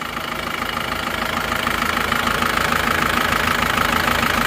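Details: Isuzu Panther turbo diesel after liner repair with original liners, warm after a 50 km drive: even clatter at roughly 200 beats a minute at idle, with no extra knocks and no smoke; healthy.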